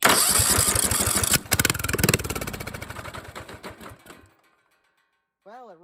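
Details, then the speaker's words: Briggs & Stratton single-cylinder engine, the first of two being revived, with the spark plug regapped and showing orange spark: it fires, catches and putters regularly for a few seconds, then winds down. It runs well. "runs well first one runs now let's try that second one"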